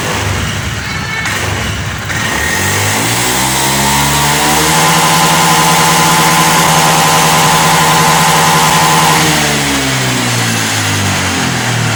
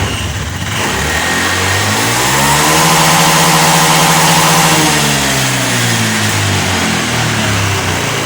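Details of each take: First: Honda Beat ESP FI scooter that stuttered at full throttle with the MIL flashing 8 times, TPS tested normal, after repairing the TPS signal wiring: revs cleanly and returns to an even idle with no stutter; running normally. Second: Honda Beat eSP FI, after a replacement fixed low-throttle stutter: revved to wide-open throttle then released, revs fall with uneven stumble; MIL blinks 8 times as RPM drops, TPS sensor checked normal, cause unknown.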